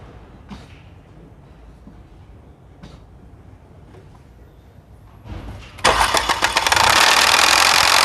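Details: Mercedes-Benz M271 CGI first cold start after 15 hours parked: slow cranking, then a loud, harsh metallic chain rattle at idle, caused by worn camshaft adjuster gears.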